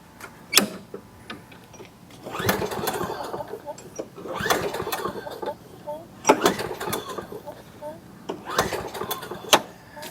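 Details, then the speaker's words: Fairly new Craftsman mower, 7.0 engine with auto choke, air filter missing: four or five pull-cord rips, each a fading rasping whir with no firing; fired on carb cleaner, traced to water-contaminated fuel and varnished carburetor. No-start. "I agree. She won't start. Let's get it up on the bench and check it out."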